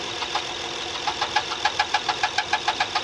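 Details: Engine on a 855 model, 10.05.16: sharp regular knock about three times a second over steady engine noise, seemingly coming from below; suspected rotating part such as a roller, cause unconfirmed.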